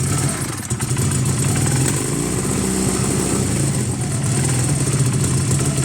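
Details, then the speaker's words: Honda CB250 bobber twin, cold with no choke fitted, just after carb rebuild; lumpy idle with sharp pops, backfiring, sounds out of time though both cylinders fire and jetting seems okay; owner thinks it may need to warm up. "Bit backfirey there. Did you hear that? Like it's out of time. Why would it backfire so much?"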